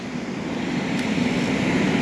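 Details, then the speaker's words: Heating unit after replacing a broken blower belt: a steady rushing roar that swells as the burner lights and the blower pushes air, with no belt slippage or squeal; normal operation. "start it up pretty nice no slippage no squeal that's what i'm looking for"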